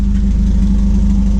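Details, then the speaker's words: 92-96 Honda Prelude after engine swap, running on about two gallons of fresh 91-octane fuel after draining old tank fuel, exhaust not fully connected: loud steady idle, even pulse, no miss; not overheating, hasn't died, normal idle. "it's not getting hot it hasn't died on itself yet i think we've uh worked out some of those growing pains"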